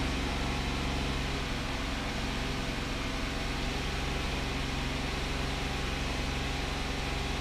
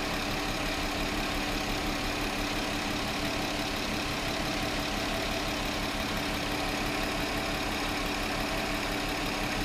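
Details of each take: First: 2009 VW Touareg 3.6L with codes P0507, P2187 and P2189 (lean on both banks), rpm raised slightly above idle. It runs uneven and shaky with a low rumble; the lean roughness is from an internal air leak. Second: 2009 VW Touareg 3.6L after sealing internal PCV vacuum leak: steady, even idle with no rpm fluctuation; fuel trims slowly returning toward zero.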